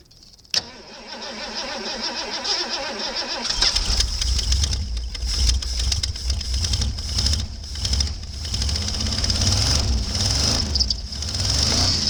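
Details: Snow-packed Ford F-250 pickup engine compartment, treated years ago with USA Fluid rust-proofing penetrant, cold start after blizzard: brief crank, catches and settles to steady even idle without stumbling; normal cold start.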